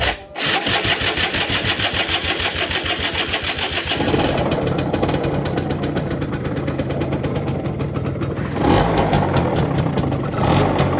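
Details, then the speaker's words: Yamaha F1ZR two-stroke, not started for a long time: loud rough grinding "grok" rattle under exhaust beat swelling with revs; owner blamed clutch housing, but crankshaft bearing found worn with fore-aft play. "Berisik banget suara grok. Ya bukan dari rumah kopling ya guys suara berisiknya."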